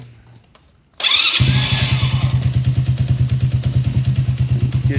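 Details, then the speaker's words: Supercharged, NOS-equipped postie bike after adding a fuel pump: very cold engine cranks evenly at about three strokes a second without firing or catching when started without choke; owner suspects it is flooded, since the pump squirted fuel. "I'll see if that starts now without any choke [Music] flooded it or something"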